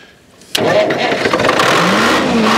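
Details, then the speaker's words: Detroit diesel in a Barko knuckle-boom log loader, not cranked in 26 years, on old fuel: short crank, then it catches hard and settles into a steady diesel clatter without running away; a normal start. "unbelievable that's the most unbelievable thing that's awesome it's not running away"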